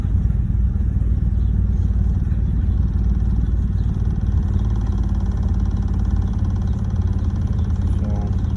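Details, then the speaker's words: 2011 BMW 328i after an ignition coil change with the battery disconnected, coils checked as seated: deep, lumpy, uneven idle persists; rough idle, owner suspects solenoids, cause not confirmed. "Giving me that rough idle. Let me check if I put the ignition coils correctly. Okay, they seem like they're correctly on. Still giving me that rough idle."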